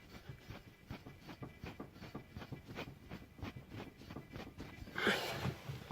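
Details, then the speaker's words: Honda Accord 8th generation steering rack, previously rebushed without chamfering: light hollow knocks as the rack is rocked by hand, not loud but carried into the cabin; worn steering rack bushing. "стук не сильный но на самом деле в салоне хорошо откликается работа подвески нет"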